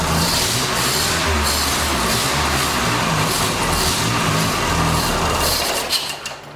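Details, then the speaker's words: 1989 Dodge Daytona ES, with the throttle-body injector refitted: steady cranking with uneven firing that never catches; still dumping excess fuel into the throttle body, owner suspects the injector; flooded no-start. "still just blaring the gas over there for some reason i don't know why but it's still dumping a lot of fuel in there like it's overfilling"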